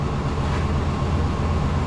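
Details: 1996 Chevy dually pickup, 454 gas big-block V8, 4L80 transmission, idling after fuel pump replacement: deep, steady rumble with no knocks or misses; healthy idle.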